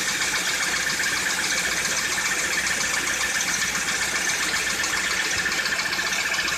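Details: Citroën C4 2013 at idle: a light, regular tapping of about four knocks a second rides over the idle; engine knock whose source cannot be pinned down by ear.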